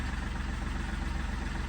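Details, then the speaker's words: Seat Ibiza engine running with a failed turbo and smoking. Low, lumpy idle with a steady pulse and a rough, hollow exhaust note. The turbo noise is louder from the rear. "but we've lost our turbo. Smoking like it is. Yeah, that's the C's turbo, isn't it? You can hear it from the back more than you can the front."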